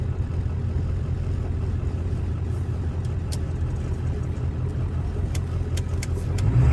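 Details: 1997 Ford F-250 OBS 4x4, 7.3 Powerstroke diesel, automatic four-speed, about 125k miles, driving uphill through the gears; deep steady diesel drone with no knocks or rattles, engine sounds healthy.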